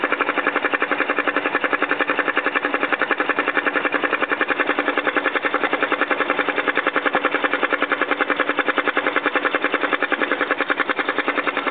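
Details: BMW X5 4.4i at steady idle with the oil cap removed: quick, even ticking about three or four a second, a light valvetrain-type tick; cause undetermined.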